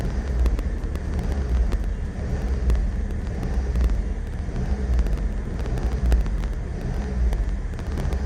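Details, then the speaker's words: Suzuki Wagon R RR DI MH21S after ISCV replacement and battery reconnection: engine idles high and hunts, surging roughly once a second; before repair it idled near 900 rpm in Drive with a rough idle. "なんでしょう。ハンチングしてます。"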